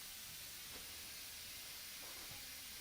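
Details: Quiet, steady high hiss with no change in pitch as a .357 Challenger air rifle is bled by loosening its gauge before a power valve install; air drains off evenly.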